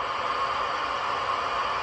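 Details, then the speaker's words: Uniden Bearcat 680 40-channel AM CB radio on receive: steady hiss and constant crackle with no voices, about 5 S-units of power line noise on a nearly 100° midday in Salt Lake. "this is what I have uh today uh um is about 5S units of noise power line noise it's about 100° here almost 100° in Salt Lake and middle of the day we've got a lot of power line noise"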